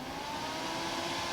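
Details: Off-grid cabin whole-house DC fan on PWM motor speed controller set to full speed: steady loud rushing whoosh with faint hum, even throughout; running normally.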